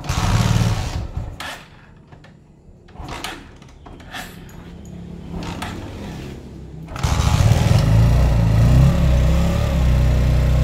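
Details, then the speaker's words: Honda Megapro Primus single after top-end service and valve adjustment for a rough ticking noise at the cylinder head: handling clatter, then an even, smooth idle with no tapping from the top end. "udah halus suaranya ya mudah-mudahan bisa awet"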